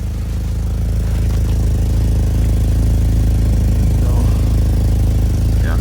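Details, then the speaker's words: 2011 Chevy Malibu LTZ, 179k miles, petrol engine at idle: steady smooth idle with a faint quick regular tick about three a second riding on the exhaust note, an exhaust leak; no timing chain or guide noise heard; crank position sensor issue suspected separately. "But it doesn't sound like I don't hear like a timing chain or nothing, like a guide or nothing. I don't hear, it sounds smooth, besides like the exhaust leak that you can hear like from right"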